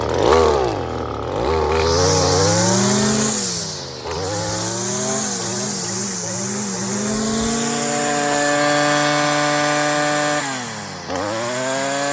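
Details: Stihl FS56 residential string trimmer cutting tall thick grass, string deliberately left too long. Revs up cleanly, holds a steady high whine, dips and climbs back smoothly; engine and line length sound healthy.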